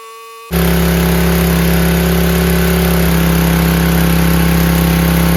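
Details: Free 5000 W PowerBack generator with a Tecumseh engine, fitted with new fuel filter, lines and an undersized 5 hp replacement carburetor, started on middle choke without spray: starts straight up to a steady, even, constant-pitch drone with no surging. Normal running.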